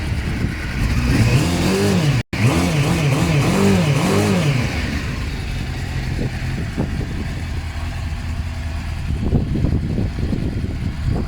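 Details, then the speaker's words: GSXR SRAD or BMW F650 motorcycle after repair work, seat locks, ignition and steering lock working: engine catches and runs steadily, picking up cleanly on blips and settling back with no knocks or rattles; normal running and revving. "But all your seat locks work, your ignition works, your steering lock works, and the bike starts and sounds like this, so that's all good."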